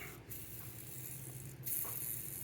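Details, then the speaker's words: Skateboard bearing with many miles on it, hand-spun after alcohol cleaning: a gritty, hissing whir that fades unevenly instead of spinning smoothly; rough, possibly worn out. "Ooh, that one doesn't sound great either. I've ridden these a lot of miles, so maybe they're getting old and done"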